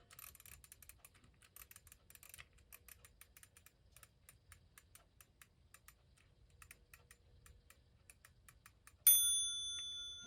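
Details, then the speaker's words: Restored 1936 Ingraham strike clock, Model SSD1, with the minute hand seated at 12 to check strike timing while the set knob is turned. Soft ticking is followed by one clear chime that fades out, so the strike trips cleanly on the hour. "And what I'm going to do is seat the minute hand, because I want to find out exactly where the clock is striking."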